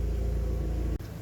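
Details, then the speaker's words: Ford Focus Mk1 after sitting in a very cold garage: slightly stuttery on startup, then a low, even idle rumble with steady beat, no misfire or knock; healthy idle. "well as you can hear the focus is out to play she's iding nice and sweet little bit stuttery on Startup which is usual being that it's been in a very very cold garage"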